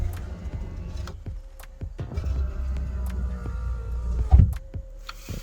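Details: Nissan 200SX S13 passenger door window: switch clicks, then steady low motor drone as the window travels smoothly, normal operation.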